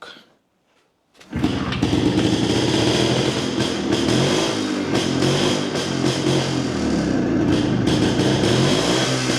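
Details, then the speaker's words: Jawa 250 type 353 two-stroke motorcycle restarted after new base gasket and cylinder refit; catches and settles into an even, crisp beat, and the earlier sharp chirping noise is gone, though a slight bearing rustle remains: normal running after repair. "Joo, nythän siitä ei tosissaan kuulunut sitä ääntä enää."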